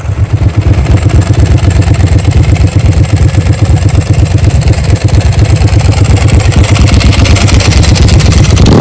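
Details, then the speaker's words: Ducati 999S motorcycle, formerly owned by 44Teeth, revived and out on a road test: deep, even V-twin pulses stay crisp and steady under the revs with no knocks or rattles; running clean, better than it ever did before. "do a beautiful huh [Music] I don't think the bike ever ran that good when 44 tth had it she absolute sweetheart"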